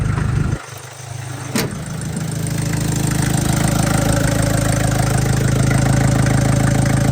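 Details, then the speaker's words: MK1 Ford Transit diesel at idle after fuel system overhaul and first oil change in 30 years: steady even clatter, no knock or tick, no smoke at start, no leaks; running smooth, still blowing crap from the exhaust. "No leaks. A lot of success. Running pretty smooth now. Still blowing crap out of the exhaust."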